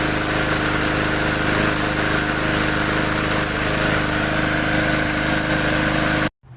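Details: MTD 20-inch mower, single-cylinder engine warming up before an oil change: steady, even, busy drone at constant speed, then shut off abruptly near the end; runs normally.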